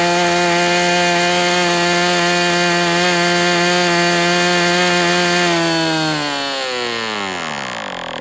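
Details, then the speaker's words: MDS 68 FS Pro engine during break-in, 11x8 prop, high-speed needle tweaked another 1/8 turn: steady high buzz at constant pitch for six seconds, then winds down smoothly; running well, slightly rich. "Okay, so with this plug and this high-speed needle setting, it still is a little bit rich."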